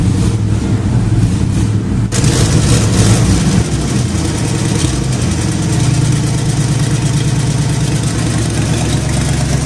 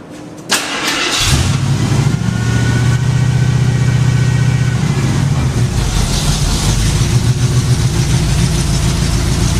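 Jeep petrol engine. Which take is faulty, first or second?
first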